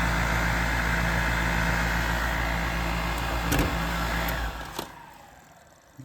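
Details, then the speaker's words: York gas furnace in a crawlspace, draft inducer motor due for replacement; loud steady motor drone with sharp knocks as if hitting something, then a falling whine as it spins down; failing draft inducer motor. "oh it's right there okay that sounded like hell that still working"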